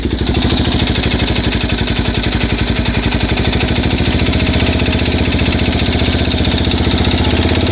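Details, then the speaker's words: Suzuki DRZ400S single-cylinder idling after about a 10-mile test drive, cam chain, both chain guides and oil replaced: steady firing pulses with a light regular tick over the exhaust beat; cause unknown. "okay so I just took it for a test drive probably 10 miles it runs fine but it's still making this sound"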